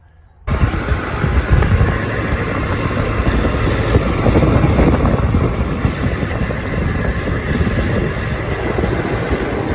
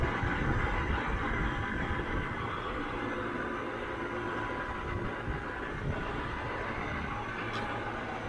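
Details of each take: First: Trane XB100 outdoor AC condenser unit: loud, fast buzzing rattle with a metallic ringing over the fan's steady roar, worse at high speed. The top panel is suspected loose and vibrating. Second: Trane XB100 outdoor AC condenser unit at about 2 pm after panel fixes to cure a loud rattle: even fan rush over a low steady hum with only a tiny remaining rattle; running smoothly, much quieter.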